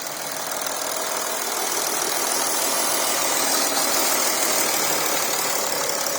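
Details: Porsche Cayenne Diesel first start-up after coolant leak repair with new gaskets: steady, even diesel clatter at idle with no misses or extra knocks; healthy idle.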